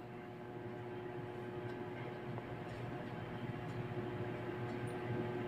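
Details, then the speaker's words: Panasonic automatic washing machine set to spin: motor only hums steadily with no movement and no belt slip, won't spin; failed start capacitor. "Ayan guys umuugong lang no Wala talaga siyang ano hindi mo mapapansin na dumudulas yung belt Kumbaga wala talagang movement yung motor umuugong lang siya walang galaw yung motor no"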